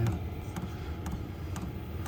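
Soft even clicks about twice a second over a low steady hum; the heater's fuel pump is ticking normally and running fine.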